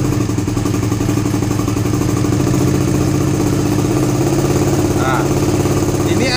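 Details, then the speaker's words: Suzuki GSX-R150 with NOBI Neo SS racing exhaust, after owner's fix for the stutter at around 2000 rpm: held at 2000 rpm, even continuous exhaust note, no popping or stutter; quieter tone. "RPM 2000 gue tahan di RPM 2000 enggak berbet sama sekali. Nah ya, ini 2000 tanpa merebut sama sekali."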